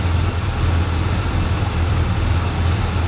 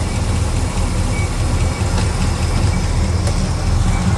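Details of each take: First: Small block Chevy V8 with hydraulic lifters after adjusting rocker arm valve lash with the engine running to cure chatter: deep, steady rumble with an even beat and no ticking or stumble; smooth, healthy idle. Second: Small block Chevy V8 with hydraulic lifters, running during rocker arm valve lash adjustment: steady lope at idle with light sharp ticks over the rumble; a loose rocker arm chattering in the valve train.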